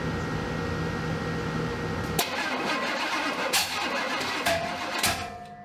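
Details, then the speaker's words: 1970 Pontiac Grand Prix SJ V8, first startup after build for cam break-in, weak battery; catches and runs ragged, uneven for seconds before shutoff; suspected timing 180 degrees out, unconfirmed; rough running on startup. "Something ain't right. Kill it. That sounds 180 out."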